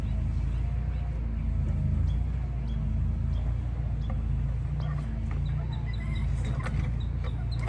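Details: Honda EX1000 generator after carburetor cleaning fixed fuel leak and no-start, air cover off, test run: steady even low drone with no stumbling or surging; engine sounds healthy.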